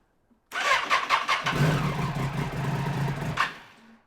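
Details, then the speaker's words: Triumph 675 Daytona after long storage, first start on a fresh Yuasa battery (it previously had a charging issue): it cranks with choppy bursts, catches, then settles into an uneven, lumpy, rough idle. "Well, it runs. Not amazingly, but it runs."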